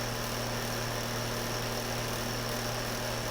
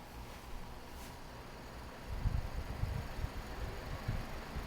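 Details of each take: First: Cheap two-speed window fan on high setting, about four months old; steady loud low buzz with thin high whine on top, no rhythm or speed change; fan buzzes badly on high, cause unclear. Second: Climate Keeper two-speed window fan after disassembly and reassembly to fix its speed switch, running on low: soft, steady low whoosh with no rattle, scrape or knock. Runs smoothly and the switch works.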